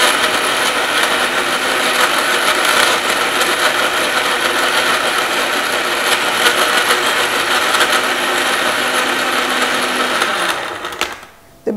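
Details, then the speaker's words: Blender crushing ice: loud steady motor roar with a rough, uneven rattle and clicking as unblended ice chunks knock around the blades. It may take up to three rounds of blending and shaking before the clicking stops, meaning the ice is not yet fully crushed. "process may have to be done three times but eventually you won't hear that clicking sound with ice still there"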